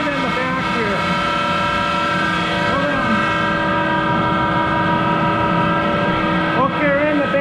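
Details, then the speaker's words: Monarch 10EE lathe, 3-phase motor-generator DC spindle drive, started and speed changed: loud steady whine with constant tones over rough hum, sliding on speed changes; worn motor-generator bearings needing replacement. "start the machine up and it's louder in hell because it's got those bearings that need to be replaced in that motor generator so bear with the noise"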